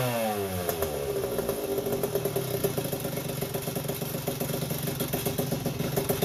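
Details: 1981 Yamaha YZ80H two-stroke, first start and heat cycle after overhaul with new seals and top end: ringing idle with a thin steady squeal that quiets with the clutch pulled. The cause was a dry gearbox cog, which stopped after tipping the bike.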